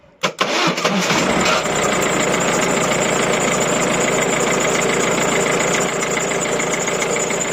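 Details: 1.6 HDi diesel after a starter motor fuse problem: starter turns briefly, engine catches within a second and settles into a steady, even diesel clatter at idle; normal start.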